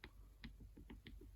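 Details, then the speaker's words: 1993 Yamaha WR500Z rear suspension off the bike, lower swingarm linkage bearing rocked by hand: sharp metallic clicks, about five a second, from excessive bearing play that transfers to a lot of movement at the bike; the top bearing also has some play. "bearing. You can hopefully hear it's moving around quite a lot. So that bit of movement in there transfers to quite a lot of movement in the bike. And the top is not moving as much, but there's definitely some play in there."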